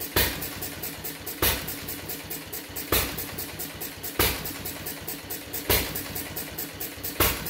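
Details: Fuller and Johnson hit-and-miss engine on first run after cleanup, battery and 6-volt coil box, started with a little choke: sharp bang about every 1.5 seconds, coasting puffs between; owner suspects running rich, plans checking mixer and RPM.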